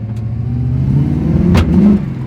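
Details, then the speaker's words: 1979 Chevrolet Camaro Z28 V8, first drive after four months' storage, accelerating on a short road loop: rough rising revs with a sharp backfire pop; owner suspects rusted, stuck distributor advance weights; smells of fuel, bogs above 55 mph. "so this is gonna be a pretty short drive because this thing is backfiring like no other"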